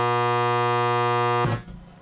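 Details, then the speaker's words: Creek 4330 amplifier, version 1.1, toroidal transformer, bulging Samwha filter capacitors, powered briefly into speakers: loud harsh raspy square-wave buzz at a fixed low pitch, stopping when power is cut. Hum from failed filter caps; fixed by replacing eight capacitors. "yeah it's got some square wave buzz coming out of it for sure"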